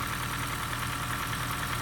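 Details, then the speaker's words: Honda Fit GP5 Hybrid, warm engine at idle: fast, light ticking over the engine note, even worse when cold, audible at the cylinder head; loose valve clearance needing adjustment. "Ну да вот тут вот да щёлкает случайно разл Ну ну ничего страшного есть да щелчки такие щёлкает есть такое"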